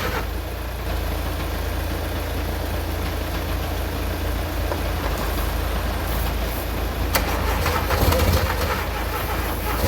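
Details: VW Mk2 Golf engine sitting unrun for 20 years, cold morning around -2 °C: long uneven cranking without catching, a few sharp bursts near the end; hard to turn over because fuel was escaping, fuel fed manually.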